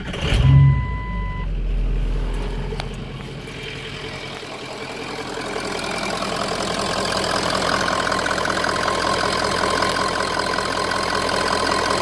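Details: Ford 6.0 Powerstroke diesel just after fitting a blue spring fuel pressure regulator kit, not knowingly primed. Starter cranks briefly, then the engine catches and settles into an even diesel idle with no misfire or stumble. No leaks are seen.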